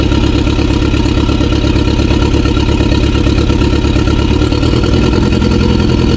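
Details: 2016 BMW 428i xDrive (F32) idling loud and lumpy, stumbling irregularly with aggressive shaking after a recently replaced part was checked; heavy misfire, cause not yet found.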